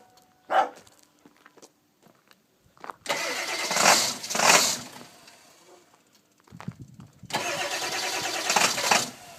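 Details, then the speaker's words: 1999 Ford 7.3 Powerstroke diesel with a bad glow plug relay, relay jumped: long steady cranking in two stretches with no firing, hard start. "so here's another hard start we already been trying to crank on her"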